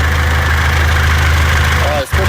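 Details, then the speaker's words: 2014 Mitsubishi L200 Triton 3.2 diesel, 254,000 km, noise increases when warm: heavy idle with an intermittent rough metallic rattle at the front of the engine, like a rattlesnake; worn timing chain, kit to be replaced. "agora olha aí o barulho para vocês ver ó barulho pare sendo uma cascavel um suai de uma cascavel isso aqui é o barulho da corrente comando Ó tem hora que para tem hora que faz"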